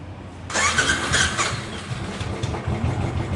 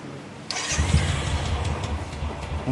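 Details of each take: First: Royal Enfield Classic 500 (Desert Storm) cranking on electric starter: harsh rough rasp, then engine catches and settles; worn starter one-way clutch bearing behind clutch cover. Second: Royal Enfield Classic after the starter one-way bearing repair and fresh engine oil: brief starter whirr, then a clean catch into an even, low single-cylinder thump with no slipping or clatter; healthy start.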